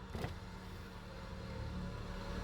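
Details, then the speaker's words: 1996 Nissan Maxima, driver's power window: a click, then a soft steady motor hum at even pitch with no grinding or binding, running down and up fine; normal power window operation. "anyways here's the driver's window"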